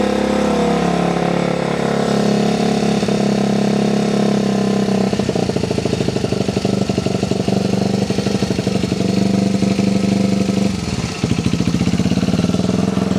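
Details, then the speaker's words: Restored Honda XR75, sat about five years and wouldn't start, just started after two kicks; small single-cylinder thumps at a quick steady idle with a few throttle blips, firing evenly. Normal idle. "All right. That sounds so good. Listen to it. Hey, childhood memories. Just like a wet fart after a can of baked beans."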